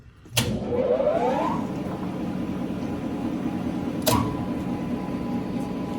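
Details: New 2009 Tru-Turn CW61190L 75" x 21' engine lathe, 30 kW 440 V main motor, spindle 3.15–315 RPM, very nice condition: a clunk, then tone climbs smoothly as motor spins up to an even hum; normal run-up and running.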